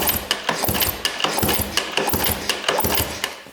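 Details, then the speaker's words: 1997 Yamaha YZ250 two-stroke that the seller said would not start and that has never fired (plug brand new), kicked over before starting: even, regular clacking about three per second with no knock or rattle; smooth cranking, no bad rod bearing heard. "It'll blow off my thumb. Sounds really smooth in there."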